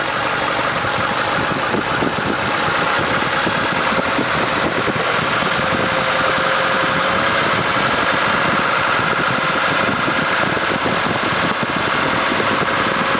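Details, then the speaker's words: Ford Pinto with automatic, manifold blowing, revved just under 3000 rpm: deep droning throb over the engine, not smooth; vibration from about 2600 rpm up, later traced to a loose alternator bracket resonating. "so it's bad that i just know it's wrong just not smooth okay so switch off see anyone got any ideas"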